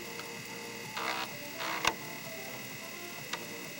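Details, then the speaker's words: Commodore 1541 disk drive after alignment and track-zero head stop adjustment: two short buzzy stepping bursts and a faint click, then quiet hum; it finds track zero fast with no knocking or rattle, so the head seek is normal. "it did barely knocked at all I mean it found track zero or one superfast it didn't make that rattling noise so really adjusting that definitely helped big time"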